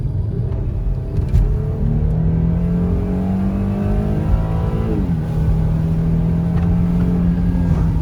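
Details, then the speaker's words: 2014 Mercedes-Benz C300 after misfire repair, full-throttle acceleration to 70 mph: clean rising pull through gears, pitch climbing smoothly and dropping at shifts, no stumbles or popping; previously broke up above 10% throttle, now no misfires. "No, it's good. It's good. There's no misfires at all anymore."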